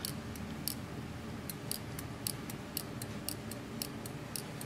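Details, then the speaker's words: Old snowblower carburetor, heated with a propane torch and sprayed with carb cleaner, shaken by hand: light irregular ticks and clicks as the stuck internal tube now slides freely. "so you want to kind of hold all the linkages of stuff so nothing else is rattling around and then shake it back and forth and I got lucky I got real lucky I can hear it moving here"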